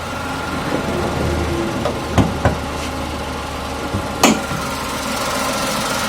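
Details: 2019 Tata Tiago XZ petrol at idle, engine noise and vibration check; steady even idle hum with smooth low drone and a couple of light handling knocks: normal idle.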